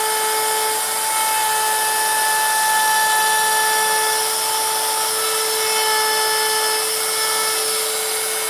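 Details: Router carving a wooden sign with a 90-degree bit, which cuts faster than the profile bit: steady high motor whine at even pitch and level, no bogging or chatter; cutting cleanly.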